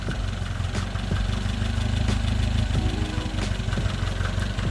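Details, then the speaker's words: 1967 Volvo 122S (Amazon), revived after sitting 35 years in woods, running on old gas during clutch hydraulic repair: uneven light clacking over a lumpy low idle; source of the clatter unknown. "There she is. Have you ever seen something more beautiful? Just clacking away."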